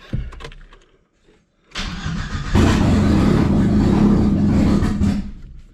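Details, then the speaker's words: 1997 Audi A4 B5 after engine install: brief crank, catches and settles into a steady, even idle with no misses or knocks; normal idle. "seems to idle just fine [Music] right on i'm happy with that"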